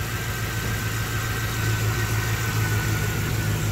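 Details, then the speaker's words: Pontiac G8 V8 at idle just after fitting thin stainless OBX headers and new plugs: light, quick, even ticking over low rumble is ordinary valvetrain chatter heard through the thin headers, not a failing-lifter tick; healthy. "Because since that stainless steel is so thin, you're gonna hear the valve train. So you're gonna hear chatter."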